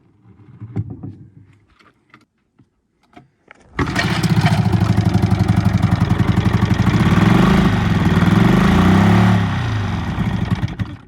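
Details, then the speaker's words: Old Evinrude 20hp outboard at first start during revival: catches and runs with an uneven, lopsided beat, firing on only one cylinder because of fouled spark plugs. "Yep, running on one cylinder anyways. That's pretty obvious."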